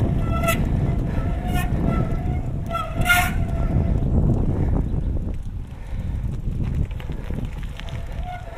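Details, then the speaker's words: Mountain bike disc brake being dragged hard to heat the rotor as a squeal cure: sharp high-pitched squeal in bursts, changing pitch and fading as the rotor heats toward threshold braking; disc brake squeal. "Now I'm at the point where I'm just about at threshold breaking and the squeal is just about gone."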